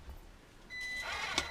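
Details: Mini-Z 4x4 Suzuki Jimny RC car on its first test run after board repair: quiet at first, then a clean high electric whir holds steady with no grinding or stutter; drive sounds healthy and now works.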